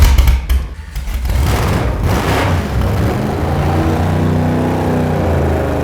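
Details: 375 hp V8 swapped Mazda RX-7 just fired after sitting, old plugs, distributor timing not yet tuned: low uneven stumbling idle that only keeps running with a bit of throttle; rough unstable idle.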